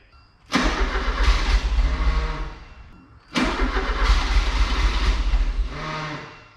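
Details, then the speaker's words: 1984 Porsche 944 that sat a couple years, fuel pump run directly off a 12 V battery; two bursts of steady starter cranking, never catches; clogged or unfired injectors suspected, possibly from bad gas. "okay so I hooked a Milwaukee 12vt battery up to the fuel pump and ran the snot out of that thing and should be getting all kinds of fuel pressure so still could be the injectors or the injectors not wanting to be fired"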